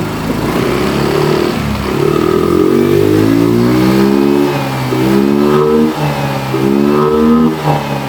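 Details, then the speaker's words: Yamaha Mio M3 125 scooter, fuel pump never replaced in 5+ years: pressure reaches 40 at idle but drops to 30 on throttle blips, revs picking up unevenly, struggles to hold idle; weak fuel pump. "ya kalau kita gas dia e Turun bukannya tetap stabil di 40 tapi turun di sampai ke 30 juga berarti ini menandakan rotaknya udah lemah sudah tidak bisa konstan di angka 40 PS ya"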